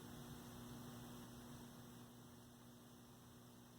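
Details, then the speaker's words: 1965 Zenith 19-inch black-and-white TV, 14M28Z chassis, powered straight from the line: only steady mains hum and faint hiss, no vertical stage singing even when adjusting vertical hold; vertical dead. "let's see if we hear any vertical nope no vertical i don't hear it running got sound though"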